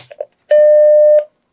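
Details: Macintosh Plus under repair, powered on with its floppy drive temporarily hooked up. A single clean, mid-pitched bong rings for under a second; normal startup chime from a working speaker.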